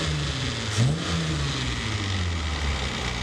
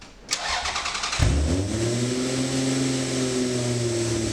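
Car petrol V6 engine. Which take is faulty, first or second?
second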